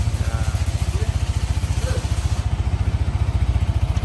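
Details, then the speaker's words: Yamaha NMAX 155 after a major service for late oil changes (new block liner, piston rings, roller housing); even, quick low putter around three beats a second at idle, no tapping or rattle; smooth normal idle. "nah ini suara mesinnya sebenar bagian blok Ya sudah baru kemudian rumah roller sudah kita ganti ya dengan yang baru"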